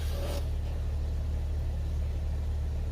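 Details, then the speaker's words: 2001 Jeep 4.0L six at idle after Restore oil additive fixed its year-long knock and chatter: steady, even low rumble with no knock or tapping, sounds smooth and healthy; owner reports oil pressure has always been good. "well now when I start it I don't think that I'm actually excited to start it and it only sounds better"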